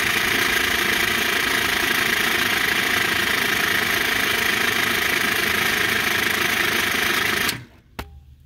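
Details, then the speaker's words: PBL Industries FP12 fuel pump on Weekend Warrior LE3305 trailer after gear repair, tank near empty: fast steady whirring buzz, no grinding or stalling; pump running freely without fuel. "also if there's no gas in there it's going to keep pumping so i think we're pretty close to empty on this thing"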